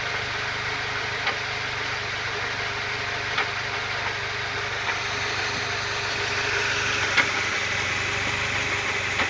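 A car idles steadily while sharp, irregular clunks knock through every second or few seconds.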